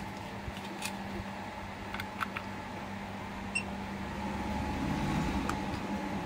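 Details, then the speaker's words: 1000W grid-tie inverter reported as error/not running; its stiff cooling fan, started by heating the sensor with a soldering iron, now runs: quiet steady whir, even low hum, no scraping or rattle; fan and inverter running normally. "ก็ตอนนี้พัดลมทำงานปกตินะครับสำหรับเครื่องนี้นะตัวเครื่องรันได้ปกตินะครับไม่มีปัญหาใดๆ"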